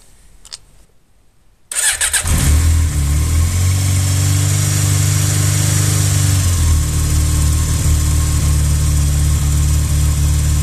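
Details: Yamaha XJ 600 Diversion during a repair of a noisy clutch basket: a short crank, then the engine catches and settles into a steady, even idle with no rattle or clatter standing out; normal idle.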